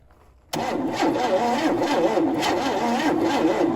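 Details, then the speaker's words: 1971 Chevy Nova being revived after sitting, with an old starter: the starter drags the engine over slowly with uneven compression pulses and never catches. The battery is dying and not giving the starter enough amps. "Yeah, there's not much uh amps going through to this starter. I mean, it is old, so I don't want to I don't want to get it hot."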